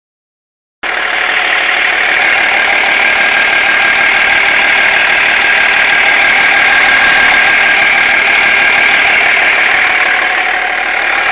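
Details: BMW E46 330D diesel at idle: bright steady clatter with a regular tick about three times a second, a weird noise from behind the power steering pump, cause unidentified.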